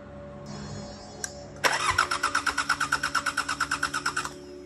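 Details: 34-year-old unused Sabb M4 diesel engine cranking: even beat about three per second for over two seconds, compression pulses clear but never fires; no start from fuel injection pump fault.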